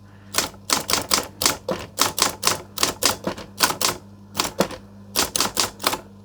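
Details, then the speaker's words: Vintage typewriter in immaculate cosmetic condition, switched on, typing "the quick brown fox" in crisp uneven bursts of key strikes; the mechanism works normally, though print is faint, probably from a dried-out ink ribbon. "All right, so I've just written the quick brown fox and it's faded on the top of it."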